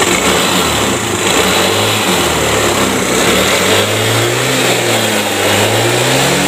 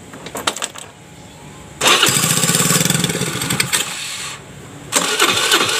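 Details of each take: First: Piaggio Liberty scooter that would not start by starter or kick: it now runs and revs smoothly once ignition is normal and oil is added through the spark plug hole to raise compression. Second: Piaggio Liberty scooter that would not start on starter or kickstart, spark confirmed at plug: starter churns a couple of seconds, engine fires once, nearly runs, then dies back to cranking; crank no start, fires once.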